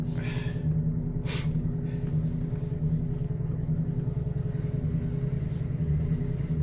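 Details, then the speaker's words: 2002 Ford Explorer Limited V8 with long-standing low-power problem, driven floored up a tiny hill after running a while: deep steady drone that never rises in pitch; engine bogging with very little power, burning smell noted, cause unknown. "now after running for a while I've got very little power and you can hear the engines bogging down kind of I've got it floored right now"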